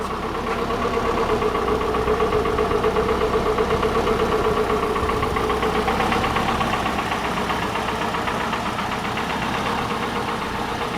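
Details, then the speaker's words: 1985 Chevy Cavalier CS wagon just started after sitting a long time: steady idle with an uneven stumbling beat and faint knocking tick about four a second; persistent misfire, also dripping oil or water onto the exhaust. "Really not running that bad for being sitting so long. Of course, it's got that misfire."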